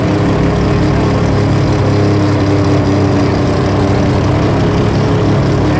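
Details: Three-rotor RX-7 running after its first start: loud steady low rotary drone holding an even note with no misfire stumbles; healthy and settled.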